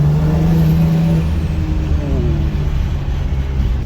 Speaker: I don't know if you guys can hear that butterfly. That's because I haven't increased the duty cycle. There's a lot of boost still left on the table.